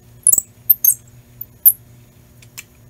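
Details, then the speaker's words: Vintage sewing machine in its original box, being operated: short, thin, high chirps in scattered bursts in a quiet room. Owner says it needs a little oil; dry squeak, cause suspected. "Needs a little oil. I can hear it squeaking a little bit."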